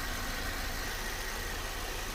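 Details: VW Polo 6 TSI at idle: a busy, faint rattly chatter over the hum, coming from inside the timing side, timing chain rattle.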